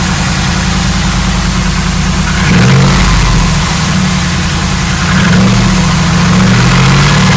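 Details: LS1 V8 idling with a hollow, uneven knock under the exhaust note, rising briefly with two throttle blips; owner suspects piston slap, not confirmed.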